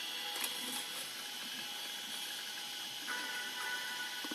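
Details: IBM ThinkPad 380D laptop running Windows 98: faint irregular clicks over a steady high hiss and whir from the ticking hard disk. It sounds close to failing and is due for replacement.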